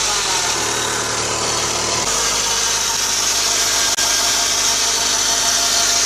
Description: UPDATE the noise sound was from :Deflection/Guide Pulley, v-ribbed belt ,Part Number :03G145276A